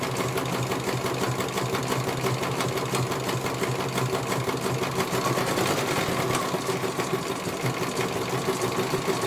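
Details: CNY computerized embroidery machine being serviced, whose dynamo motor earlier would not spin at all: fast, even needle clatter at a steady pace, no grinding, slipping or knocking; stitching smoothly, one colour completed, judged very good.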